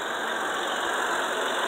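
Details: 2004 Ford Freestar after troubleshooting a misfire (shaking, popping, backfiring) and replacing the hoses with heavy-duty ones: a steady, even idle with a smooth hiss and no stumble, a normal healthy idle.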